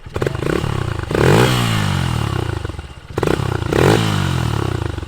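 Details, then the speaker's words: Honda XR150L after intake opened up, spark arrestor removed and carb rejetted from 105 to 115 main: single cylinder blips twice from idle and settles cleanly, no bog or stumble, no top-end rattle; running normally. "Sounds good. I didn't hear any of the rattle on the top end like you used to."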